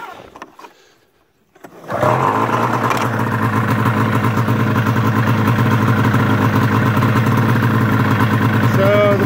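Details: 1999 Arctic Cat ZR 600 EFI snowmobile with its 3-wire throttle safety switch disconnected as a workaround: it fires after a quiet pause and settles into a steady, even two-stroke idle with no misses; runs fine, though the kill switch no longer works.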